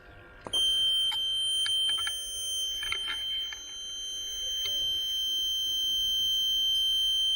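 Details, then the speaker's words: Pond float-switch low-level warning buzzer, newly wired in, tested by tipping the float switch: after a click a constant piercing high-pitched tone holds steady; works as intended. "It's very high pitched, but you should be able to hear it, at least I will."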